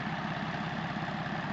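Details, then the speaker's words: BMW X5 diesel idling steadily with a fast, even clatter over it from loose parts not yet bolted back on, after the preheat (glow plug) relay under the manifold area was worked on. "C'est à part le bruit de merde parce qu'il y a rien qui est remonté dessus, il tombe."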